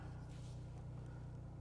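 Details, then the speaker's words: Buick with 3.6 L V6 and 86,000 miles at a Copart yard, no warning lights: low, even idle rumble with a steady beat and no knocks or ticks; smooth, healthy running. "And this sounds good. Let's turn it off. Everything works."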